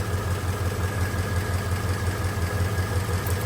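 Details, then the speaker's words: Flathead engine in an old car idling with the choke partly pulled, not yet warm, radiator just topped off on a non-pressurized system: low, even, loping idle with no ticks or knocks; runs smooth and quiet through a small 1.5-inch single exhaust. "But you can hear the engine runs really good. It's very smooth, very quiet."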